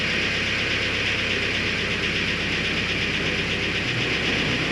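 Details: Honda H22 four-cylinder at cold idle after replacing lost motion actuators: light quick ticking over steady hum; new LMAs did not cure the ticking.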